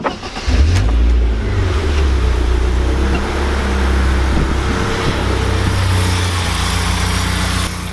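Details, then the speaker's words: BMW E36 318iS after fixing fuel leak: starts, catches quickly, settles into an even steady idle with no hunting or misses; healthy running. "Okay, so the efforts on the car means it no longer smells like it's going to blow up, and at the same time it idles really nicely."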